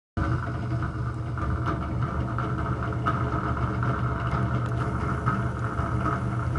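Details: Bathroom exhaust fan: steady low droning hum with a buzzy midrange note, running rough and loud; bad motor or fan bearing suspected, and particle-board-like debris fell out when opened.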